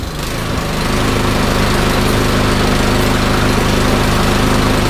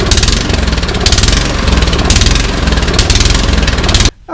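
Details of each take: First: Troy-Bilt Storm 2410 snowblower, loosely reassembled, started with choke, throttle and prime: crisp, even single-cylinder beat at constant speed with no hunting or surging; runs great. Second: Troy-Bilt Storm 2410 snowblower in for service a second time, started with choke, throttle and prime: rough single-cylinder note swelling and sagging about once a second, hunting and surging; carburetor/fuel system suspected.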